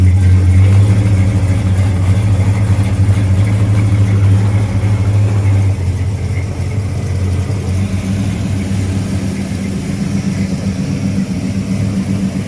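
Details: 1970 Plymouth Road Runner, freshly rebuilt 383 V8, first run in the car after a new temperature gauge, upper hose, oil-pressure-line leak fix and fan switch: steady deep idle with an even low rumble, no knocks or ticks; normal idle.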